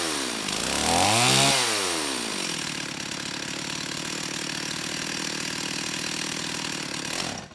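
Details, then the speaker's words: STIHL 028 AV Super chainsaw, rebuilt with non-OEM parts after straight-gas burnout, low-speed jet about 1⅛ turns out: revs up, drops to a buzzy uneven hunting idle, then cuts out; stumbles and stalls off idle; carb or seal issue suspected. "the biggest issue is coming off a idle you know it stumbles quite a bit and stalls especially if you let it idle for five or 10 seconds and then you try to bring it off"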